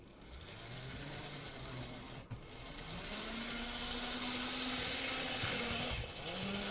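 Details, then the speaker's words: Graham Farish N-gauge Class 50 loco after new axle gears and greasing the shafts, shell off, run for five minutes: small motor hum rises and eases smoothly with speed, no squeal; shaft squeal fixed. "okay so we return uh we have got i've not put the shell back on i can't hear a squeal"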